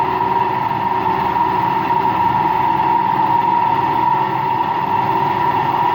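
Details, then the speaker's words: Empty washing machine on rinse and spin with no clothes: a loud steady roar with a fixed mid-pitched tone. No leak was seen, and the owner suspects both the motor bearing and the drum bearing. "I actually think it's both bearings. I think it's both the motor bearing and the drum bearing that makes noise."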